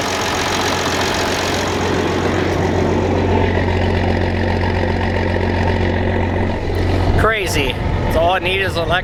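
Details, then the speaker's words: Old diesel in farm combine, only starts with added electric fuel pump since lift pump is insufficient, hot day, just started: deep steady drone at even idle, no knocks or misses, birds chirping; normal running. "pump all them years man that thing sounds awesome i'll let it worm up a little bit and open it up charge the battery"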